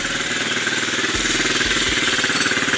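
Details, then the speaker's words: New Odes Rider 8 125cc automatic ATV just started, not yet warm: even but slightly fast single-cylinder idle, no misses or knocks; idle a little high, may need adjusting down so it engages gear without taking off. "And I can tell you, if you can get a good indication from here, the idle's just a little high on this right now. We'll wait till it warms, clear up, make sure that that level stays the same."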